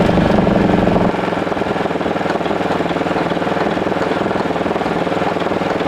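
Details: 1941 Caterpillar dozer, sat for a few years: main diesel motor cranked via the pony motor at about three pulses a second with irregular pops, trying to fire but not catching; fuel starvation suspected, possibly plugged fuel filters.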